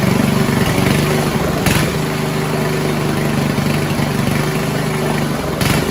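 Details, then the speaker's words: 1970s Roper 1032 snowblower, probably 10 hp Tecumseh single-cylinder, first run on repaired carb with JB-welded bowl: uneven idle beat swelling and dipping; idle hunting. "It was still hunting a bit, but I just made the mix a tad richer from the on th"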